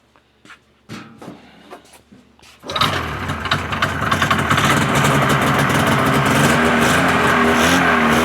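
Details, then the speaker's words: 1981 Ski-Doo Blizzard 5500 two-stroke after freshly cleaned carbs and new fuel and primer lines: a few pull-cord tugs, then it catches and settles into a steady, crisp, even buzz, running well. "pretty good so that's the great thing about these scos with the primers if you know what you're doing they're fantastic and and their first pole start every time"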